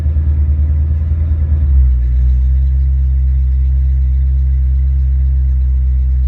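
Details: Ford Mustang after a mass-air ECU (A9P) exchange, on a test run. The engine comes down from a rev and high idle to closed loop at about 800–900 RPM, with a steady even rumble and no misses or knocks.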